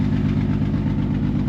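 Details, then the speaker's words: 2009 Honda Odyssey with oil leak: idle with steady rhythmic stumble, one cylinder dead; scanner shows severe misfire, compression problem feared, later fixed with new spark plugs. "estoy escaneando ahora mismo tiene un misfire grave Ah Espero y no sea compresión del motor"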